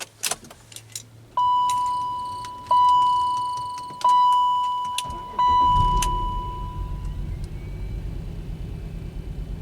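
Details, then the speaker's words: BMW X5, cold morning first start: after key and warning chime, engine fires and runs rough, misfiring and shaking the car, same problem as before when it stalled; barely revs with pedal floored. "start didn't stall right away but it is misfiring I hope you guys can hear they say how the everything is shaking a car so it misfires pretty much the same same problem they had before"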